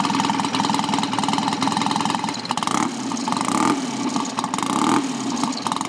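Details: Customer's motorcycle kick-started without choke, ignition advance midway, low fuel; engine not stripped, standard gearbox. It catches and settles into a lumpy, even beat with occasional blips: a healthy start and idle.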